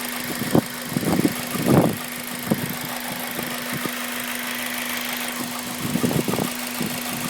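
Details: Honda Civic Type R engine at warm idle, noise appearing only after about 10 minutes, present for around 7k miles; steady low hum with irregular sharp metallic rattles in bursts, caused by the timing chain tensioner, fixed by replacement.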